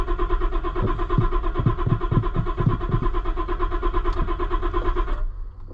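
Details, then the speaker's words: Auction-bought cheap Ford Super Duty after new fuel pump control module: starter cranks, even pulses about three per second for five seconds, never fires; owner hears no fuel pump running, suspects wiring; module replacement was not the fix. "it's just not there's no no fuel pump happening I don't think unless it's super quiet I mean there's just nothing"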